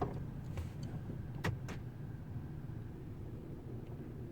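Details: 2003 Ford F-150 STX 5.4 L V8 after shop replaced cracked leaking vacuum hoses (codes P0171, P0174, P0405 cleared): low idle rumble with a brief stumble and sharp ticks; slight idle miss persisting before and after repair, cause unknown.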